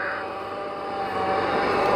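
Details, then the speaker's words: 2006 Mercedes C350 4matic (W203, 3.5 L) at start-up idle. A faint, steady high whine rides over the idle without changing pitch: power steering pump whine. The car puffed a little smoke on start, which the owner is not concerned about. "here we're going to go ahead and start it and you can hear you can hear that power steering pump whine a little bit and she popped a little bit of smoke but I'm not concerned about that either"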